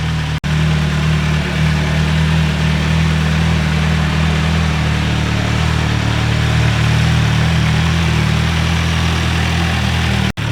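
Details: MV Agusta 1090R that bogs and dies randomly, warming up after start. Steady, even idle with a low, smooth beat, no stumbles or dropouts. Normal idle.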